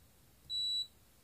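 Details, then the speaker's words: Multimeter gives a single short high beep, about a third of a second, on a healthy 220 µF 400 V capacitor during a continuity/charge test, showing it is good. "220 microfarats 400 volts look at it, look at it Look, it gave me a beep sound"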